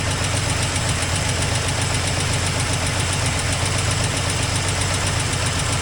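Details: 1984 Toyota Land Cruiser FJ60, first run after years of storage, exhaust leak noted, owner suspects no coolant, burning smell: steady low idle, uneven lumpy beat, faint knocking undertone; rough idle, cause unconfirmed.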